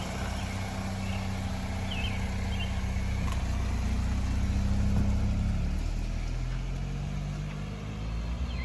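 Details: 2004 Honda Accord 2.4L first start after engine swap with new oil: engine settles into a smooth, steady idle with an even low hum, no knocks or ticks; runs healthy.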